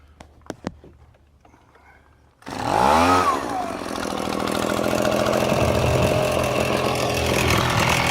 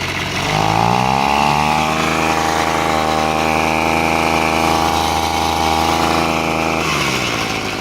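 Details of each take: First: Echo handheld two-stroke blower: quick pull, catches and screams to clean steady high revs, pulling strongly without stumbling; normal running. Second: Echo handheld two-stroke blower, reported running slow, air cover missing: idles fine but revs to a flat buzzing tone that never climbs hard; no power, later traced to carbon-clogged exhaust port beyond the spark arrestor.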